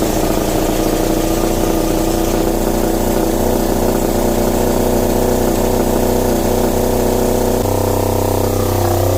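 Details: Marine diesel generator refitted into a Tiara boat, fuel and antifreeze bled, makeshift muffler on exhaust: starts cleanly and settles into a steady, even diesel drone at constant speed with no knocks or misses; normal running.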